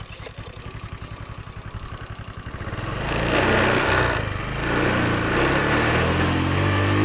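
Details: Honda Beat FI scooter that sputtered and died, suspected weak fuel pump; with the pump unplugged and fuel fed from an IV bottle pressurised by a hand pump, the engine holds a steady, even idle, then revs up cleanly without stumbling.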